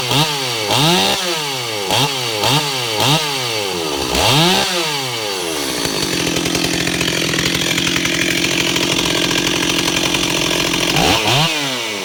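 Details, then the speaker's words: Ported Stihl 028 Wood Boss after carburetor-to-intake gasket fix cured a weird run condition; crisp throttle blips rising and falling cleanly, then steady even high run, no bogging or stumbling: normal running, running really well. "She's running really well right now."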